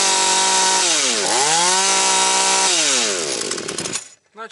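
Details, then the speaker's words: Husqvarna 240 chainsaw after carburettor retuning (L and H screws leaned, about 11,500–12,000 rpm at full throttle): high, clean two-stroke scream that dips and recovers twice before holding a steady peak; pulls smoothly. "вона має десь біля 11,5 до 12 бачите ну не хочу І дальше її крутити тому що воно мені то не подобається"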